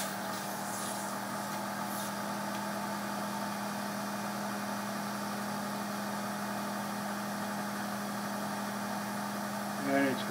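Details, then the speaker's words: Vacuum pump connected straight to a water manometer, line closed off, reading 15.5 inches of vacuum and rising no further: constant low hum at one steady pitch, never rising or falling; pump pulling steadily against the closed line, nothing abnormal. "you can hear the you can hear the pump to pump this is closed off okay it's like putting a stopper because the water is so heavy it's like putting a stopper in this too it just stops it it won't go any higher"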